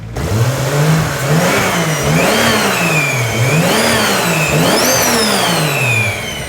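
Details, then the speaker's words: Toyota 2JZ on first start after reinstall, in neutral, quiet exhaust, loud injectors: clean free revs climbing and dropping with a rising turbo whistle on each pull, no misses or knocking; engine sounds healthy. "so it sounds really good"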